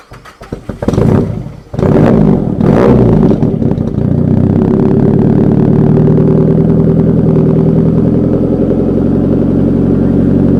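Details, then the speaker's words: Nissan Pulsar GTiR on a new tune, first start away from home on the way to its MOT: cranks with stumbling false catches, then settles into an uneven, lumpy idle; rough hard start, cause unknown, owner concerned. "So that didn't start up properly. That was really weird. It's got a new tune on it, and that's the first time I've started it up outside of driving at home."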